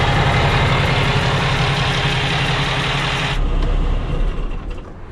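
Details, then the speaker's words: 2018 Freightliner Cascadia DD15 daycab with a rebuilt title, started in neutral with the clutch down: a deep, even diesel idle rumble with no knocks or misses, then it drops away. Normal idle; the check-engine light comes on periodically, and the owner suspects a fuel problem. "yeah, she runs great. We just gotta idle it up a little bit."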